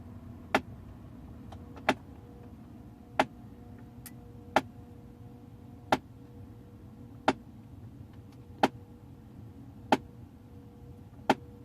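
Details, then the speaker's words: 2008 Audi A6 HVAC flap motor under the dash, which is noisy for seconds after ignition-on, during basic-settings adaptation: sharp regular clicks about every 1.3 seconds over a faint hum. Physical motor or flap fault suspected. Clicking HVAC blend flap actuator. "still flopping in there probably is not going to work and it might be something physically wrong with that motor SL flap whatever"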